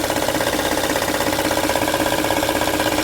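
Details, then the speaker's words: 2006 Honda Odyssey at idle: steady, even chatter near three beats a second. Timing belt rattle. "es fuerte vamos a ver de dónde está viendo LED Ok el ruido máximo que yo escucho viendo por acá pero vamos a ver de dónde verdaderamente voy a abrir las tapas para ver cómo está la correa de tiempo"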